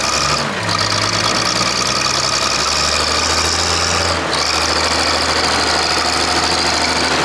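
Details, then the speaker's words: Clark Michigan loader diesel, working under load. It stumbles with an uneven beat as one cylinder drops out, caused by a cracked injector line on number 6 of the inline pump, new since last week, after the fuel system was bled that morning. "a there, I went to notice I had a bit of a miss, and I did bleed the fuel system this morning. That's what I thought the mess was when I walked over to it, but it's actually got a cracked injector line, which wasn't there last week."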